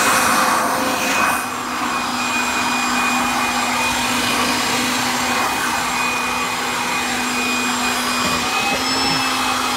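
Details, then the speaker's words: 1997 Kirby G5 upright vacuum with metal fan, hose and dusting brush attached: steady high-pitched whir with even airy rush, no rattles or speed wobble; fan sounds like a vintage 500-series Kirby; normal motor running. "I do like that fan that's in it it really sounds like a vintage Kirby which I do like a 500 series Kirby"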